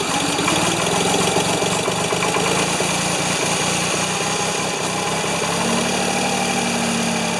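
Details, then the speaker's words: Ford 2600 tractor started on choke with a little gas and an old number three plug: ragged, uneven firing then a rough struggling run, flooding with too much fuel; puffing from the intake, owner fears number one intake valve stuck again. "hmm why is it not one to run well i pulled uh a little puffing out of the intake i was worried the intake that number one intake valve stuck again"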